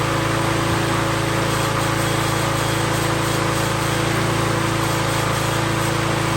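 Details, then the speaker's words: 2019 Toro Recycler single-cylinder mower after carburetor work on the emulsion tube, believed to have caused rich running: steady, even hum at constant speed with no surging or misfires. Running normally. "that's what I like to hear that's exactly what I want to hear"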